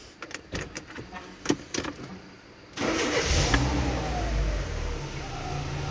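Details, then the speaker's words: Car after brake master cylinder (Westinghouse) repair, which previously made an air hiss from inside on start-up that stopped when the brake was pressed: a few clicks, prompt crank and start, then a smooth steady idle with no hiss. "Maşallah saat gibi şimdi tekrar içten bakalım bak alt taraftan herangi bir hava sısı geliyor [Müzik] mu evet herhangi bir hava sesi yok"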